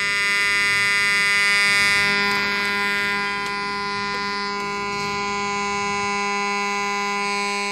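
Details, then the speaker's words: Homemade AC-powered AM transmitter received on multiband AM radio via long copper-wire antenna: clean, steady buzzy 484 Hz modulation tone, silent when transmitter off; normal test tone reception. "well that is the tone from my transmitter and as you can hear when I switch it off I mean when I switch off the transmitter you don't hear anything when I turn it on you hear something and that is the 484 Hertz signal which I modulate the AM signal with"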